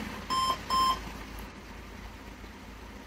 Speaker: I mean, 3 long beep and 2 short beep. That means RAM is not functional.